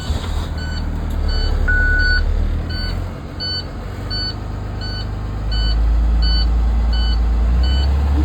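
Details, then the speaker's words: School bus diesel idling during the CDL pre-trip air brake test, restarted after pumping down to build air pressure: even beeping about four times a second over the idle, the low air pressure warning alarm, before the wigwag is reset. "You could give it a little bit of gas just to make it fill up a little bit quicker. Once the alarm goes off, wait 3 to 5 seconds, you can reset the wigwag."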